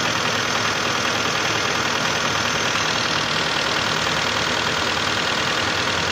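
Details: 2011 Hyundai Santa Fe 2.4 (4GKE) engine, hot idle: fairly regular knocking about three per second over the engine note; engine knock when hot, cause undetermined.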